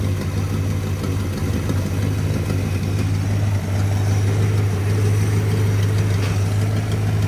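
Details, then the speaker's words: 1965 Chrysler Newport police car, started cold after sitting, with a new fuel filter that picked up gas; deep, even V8 burble at steady idle with no stumbles, ticks or hunting, left to warm up. "oh I put a new filter on it last time I drove it I forgot it picked up gas it's good now we going let it sit here and warm up"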